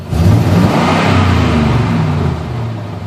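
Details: 7.4L Vortec V8 with a random misfire that keeps dying: revved at about half throttle, it stumbles with a slightly uneven, shuddering note as the revs fall back.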